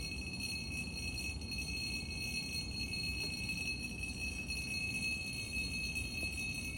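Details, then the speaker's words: Two drinking glasses touching in a kitchen early in the morning give a sustained, high bell-like ringing over a faint low hum as vibration sets them chiming; moving them apart stopped the sound. "So sudden గా kitchen కి వెళ్లి చూసేసరికే ఆ రెండు గ్లాసులు ఒకదానికొకటి touch అయిపోయి ఒక sound ని క్రియేట్ చేశయి అన్నమాట."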